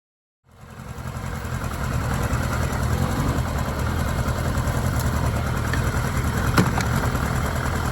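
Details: Kawasaki ZR-7S air-cooled four starting and idling: uneven mechanical clatter about three beats a second, a chain-type rattle; cause unknown.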